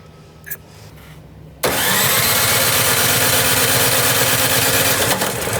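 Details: Snow blower cold start at full throttle, full choke, primed until resistance: short crank, catches at once, settles into steady even small-engine run; healthy start and idle.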